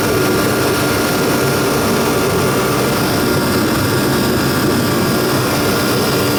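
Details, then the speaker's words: Procom 110VT turbo heater after repair, at 120,000 BTU high fire before stepping down to 60,000: strong, steady roar of fan and burner with a faint even whine and no surging or sputter; normal running at high fire. "right now it's running at 120,000 BTUs and we'll see if we hear it slow down"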